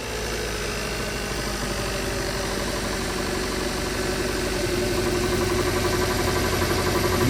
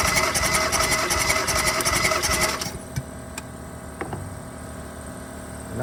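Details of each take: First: 2016 Kia Soul 1.6L idling with an uneven, lumpy beat and heavy shaking: P0300 random multiple misfire on cylinders 3 and 4; compression checked and plugs replaced, the ignition coils proved defective. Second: 2016 Kia Soul 1.6 L with P0300 random misfire (cylinders 3 and 4), spark plugs removed for a compression test on cylinder 1: reads 120, fine. Even, rapid cranking chug about 160 a minute with no uneven strokes. Normal cranking compression.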